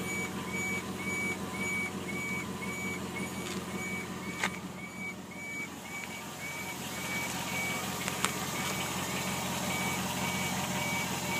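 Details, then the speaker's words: 2002 Jeep Grand Cherokee, 191K miles, beeping only on mornings for 3–5 minutes: a thin high-pitched beep about twice a second over a quiet idle; owner suspects the fuel pump area near the tank, and points to an EVAP P0442/P0455 forum fix. "all right this is a noise my 2002 GRE Grand Cherokee's [Music] making definitely seems like it's coming from around a fuel tank probably the fuel pump"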